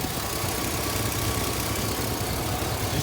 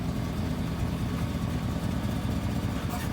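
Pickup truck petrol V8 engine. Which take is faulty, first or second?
first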